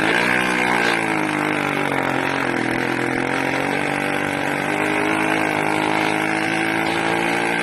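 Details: 80cc small two-stroke engine screaming loud and uneven, pitch hunting up and down instead of holding steady, lean-sounding; owner suspects a carburetor problem with an air leak at the intake manifold, not confirmed.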